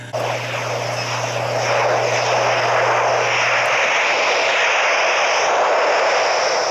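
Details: Evaporator coil pressurized about 50 psi with 410A: ultrasonic leak detector gives steady strong rushing hiss in headphones, pinpointing a small refrigerant leak, later confirmed with bubbles.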